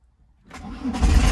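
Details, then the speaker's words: VW Caddy pickup 1.9 diesel, jump-started from a battery pack after waiting for the glow light; slow, sluggish cranking builds into a rough diesel catch and rising idle. Battery is dead, no smoke once started. "Gotta wait for the light to go out. Go on, boy. That battery is fubbered."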